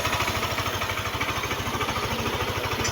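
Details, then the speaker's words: Yamaha NMAX version 1 that wouldn't start, now running after troubleshooting: steady putter of about eleven beats a second, no stumbles or knocks; idles cleanly, responsive, no misfire, so far so good. "try natin kung pagka ni h siya mamamatay Okay naman responsive hindi si hag Wang palya responsive yung ating engine so far so good"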